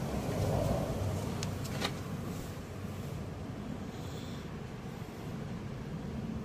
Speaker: Y en este inyector si se escucha